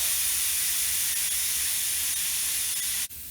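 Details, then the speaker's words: Valve core unscrewed from the tire's valve stem: steady sharp hiss for about three seconds, then an abrupt stop once the tire is fully deflated. "Once the sound of air leaking stops, all the air is now out of our tire."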